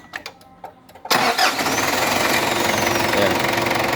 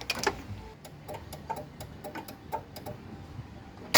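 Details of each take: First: Ford Ranger 2.5 diesel with slow, weak starter cranking despite new battery and serviced starter and alternator, after adding a large extra ground cable: loud, quick, even cranking churn, much lighter and stronger than before. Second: Ford Ranger 2.5 cranking slowly despite new battery (13 V) and serviced starter and alternator: laboured cranking about four strokes a second, then a loud clattering catch.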